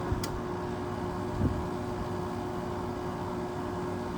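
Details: 1999 Whirlpool 5000 BTU window air conditioner ACM052XH1 on high fan, possibly low refrigerant charge; steady whooshing air with constant low electrical buzz and hum, speed even; fan motor buzzing.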